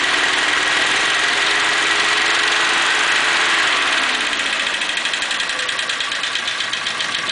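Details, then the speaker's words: 1941 Pontiac, warming up: runs smooth, then when revved the beat turns choppy as a hanging valve drops a cylinder, then smooths out; intermittent misfire, sticking valve guides suspected. "it's not hung up right now but it'll hang up and drop that cylinder it's actually running pretty smooth right now if I rev it up it'll drop that uh that valve will catch and it'll you can hear it start hanging up a little bit"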